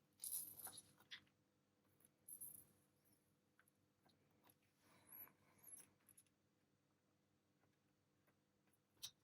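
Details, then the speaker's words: Macintosh Classic / Classic II power supply, desoldering electrolytic capacitors with iron and braid; quiet irregular crackling and sizzling as the iron heats the part; leaking electrolytic capacitor, electrolyte boiling out. "là je sais pas si vous l'entendez on entend clairement que le condensateur fuit donc c'était encore une fois pas du luxe de les faire"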